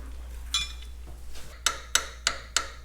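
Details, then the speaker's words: Farmall H tractor engine, removed rocker arm with worn egg-shaped bushing, 0.013 in clearance to shaft, rocked by hand: sharp metallic clacks about three a second, similar to the mystery knock when running; suspected rocker arm knock. "Just working it by hand, you get a very similar knock to what we heard when the engine was running."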